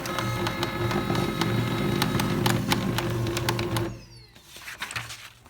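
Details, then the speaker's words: Pantum 6500 MFP: steady knocking about four times a second runs through the print cycle, then fades; blamed on a failed toner cartridge rather than the printer, and replacing the cartridge fixed it. "Да как принтер замечательно стучит Это означает что не принтер сломался а скорее всего и процентов 95 что это вышел из строя картридж который приказал долго жить"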